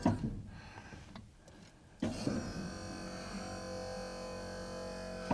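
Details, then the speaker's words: 1996 Ford F-350 Power Stroke with Western cable snow plow: pump motor drones with a strained hum while the blade swings left slowly, laboring; turning right is fast. "turns, but it's a little slow. If we go to the right, hauls ass. Also sounds like it labors a little bit going to the left."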